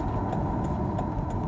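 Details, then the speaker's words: Volvo XC90 T5 after misfire repair: even, steady idle with a smooth low hum and no stumble or skipped beats; misfire fixed, normal idle. "No more Missfire."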